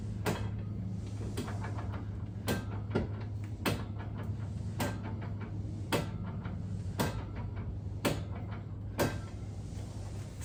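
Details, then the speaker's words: Jeep Grand Cherokee ZJ with locked rear differential, clicking about once a second with lighter ticks between as the wheel is turned after something broke; locker ratcheting heard on one side before pulling the diff cover. "I can hear the lock the locker ratcheting on this side um same thing"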